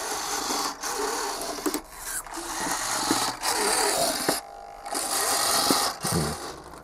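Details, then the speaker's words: Donated Super Nova RC model aircraft on restoration, old 27 MHz radio, aileron servo operating; short buzzing bursts with gritty uneven whir and irregular stops, owner suspects servo issues; rough servo noise. "well to my amazement there you go hang on server operates as well although it sounds like we might have one or two issues"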